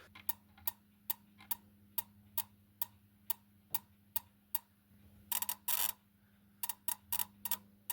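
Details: 1978 V8 Capri with Chevy engine that won't start after sitting: MSD ignition box tested with coil off distributor, trigger wire earthed; sharp, evenly spaced sparking ticks about twice a second over a faint hum, MSD fine, fault suspected in distributor.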